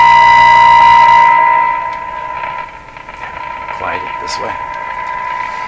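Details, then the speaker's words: Northern Electric Baby Champ AM radio during IF transformer alignment, IF tuned to 438 instead of 455: steady whistle-like tone fades into hissy, crackling garble with sudden static crashes; reception badly garbled, cause not yet found. "we have lots going on here and it's not good got static crashes for no reason we got garbled sound"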